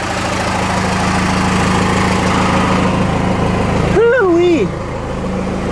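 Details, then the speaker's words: Ford F-150 with swapped Cummins 6BT diesel after front tank fuel return work, nowhere near warm yet, no drips: deep, steady idle with even low pulses, turbo whistle, no smoke, knocks or misses; normal cold idle. "yeah turbo whistle it's not smoking today it's good sounds like a baby for uh 6bt"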